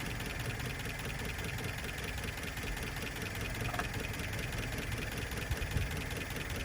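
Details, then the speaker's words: 1972 Plymouth Cricket, freshly fitted carburetor and filed points, cold: lumpy, irregular idle with loose-sounding valves; owner suspects one or two tight valves causing backfiring and imbalance, no ignition crossfire heard, cause unclear. "rough now the valve sound loose you can hear them pretty good but i'm thinking that there's probably one or two of them in a little tight part of that might be the back firing through there but it's also the imbalance"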